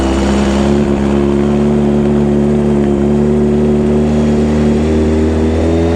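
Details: 1995 Honda CBR600F inline four, warming up after sitting a very long time, with WD40 added: a smooth, steady drone that holds pitch then lifts slightly, with no misses, rattles or knocks; it pulls cleanly and sounds healthy.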